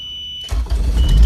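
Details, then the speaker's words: Turbo Honda CRX just after a Walbro 450 LPH fuel pump install and a homemade push-start button: quiet, then the engine catches and settles to a steady low idle. The earlier no-spark issue randomly cleared and it starts. "it's weird because the car didn't turn on cuz I didn't have spark right fuel pump's on"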